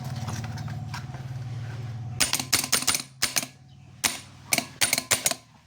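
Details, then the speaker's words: Mitsubishi Adventure 4D56 that would not crank (only clicked), starter motor removed and reassembled with armature and carbon brushes, now bench-tested: steady motor hum for about two seconds, then sharp clicks as it stops; the starter spins freely. "So dito na nga po nung maassimbol ko na 'yung starter motor. Ready to testing na"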